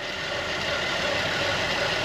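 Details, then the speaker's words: 2010 Buick Enclave CXL V6 with a steady, even idle, no hunting, stumble or hiss, after fixing a vacuum leak (found via a throttle body idle-too-high code) and cleaning and relearning the throttle body. "era que un backing y como lo labé Entonces le hice un reler también al Body y y ahí quedó más s serenito"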